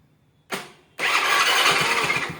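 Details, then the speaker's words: Honda Grazia scooter after self-start fix (new relay, self and brake switches bypassed directly): starter whirs briefly, engine catches and settles to steady, even idle; clean self-start. "మనకి అది ఎందుకు అవుతుంది అంటే మనం ఇక్కడ switch అనేది self switch direct చేసామో break switch కూడా డైరెక్ట్ చేసేసాం"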